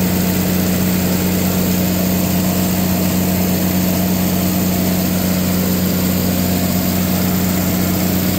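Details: Katolight 110 kVA (110 kW) three-phase diesel genset, run outside after fixing a no-start (auto and manual); steady, even low drone with firm hum, no knocks, misses or surges, came up to temperature: running normally.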